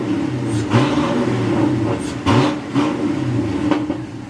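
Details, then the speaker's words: Chevy Nova V8 with the exhaust cutouts removed so the exhaust runs all the way to the back: deep even burble with clean throttle blips rising and falling smoothly, healthy with no leaks or rasps. "We finally took the cutouts off of this thing, so now the exhaust goes all the way to the back and actually sounds good now. It's not all annoying."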